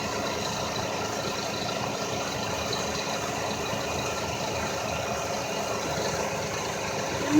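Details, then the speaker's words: 2000 Lexus RX300 at idle: a steady high-pitched whine that never changes, from a failing alternator with burned-up windings; a belt-off test was planned to confirm. "I got the 2000 rx 300 back this time just making a strange noise and it's coming from the alternator making like a frequency type noise"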